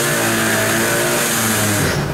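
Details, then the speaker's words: Kymco Vitality scooter: steady engine drone whose revs sag when the brake is applied, showing the centrifugal clutch engaging too early, leaving no torque to pull away; CVT drive needs adjustment and service. "hamulcu słyszycie to różnice w obrotach Moi drodzy co to może oznaczać to oznacza tylko jedno że sprzęgło Za szybko nam zasprzęgla i ten silnik nie ma momentu obrotowego i mocy do tego żeby ruszyć i się rozpędzić"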